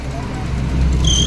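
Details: Maruti Omni idling in cold weather: steady idle, then short high-pitched squeal when headlights switch on loading the alternator; fan/alternator belt slipping under electrical load, quiet with lights off even when revved.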